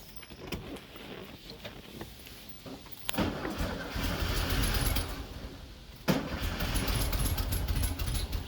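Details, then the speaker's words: 1974 VW Beetle with freshly installed 1641cc engine, timing being adjusted, fuel spraying, choke not closing: weak cranking into two rough bursts that almost catch then sag; hard start, cause not confirmed. "we are definitely close that is for sure see if we're getting any fuel yep it's definitely spraying gotta find that magic touch not having the choke closing is definitely not helping us for sure"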